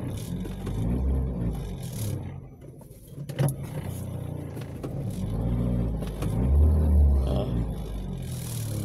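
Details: Toyota Vios gen 3 single VVT-i bogs and stumbles as the throttle opens, revs dipping unevenly, stalling and backfiring on acceleration; fuel pump ruled out.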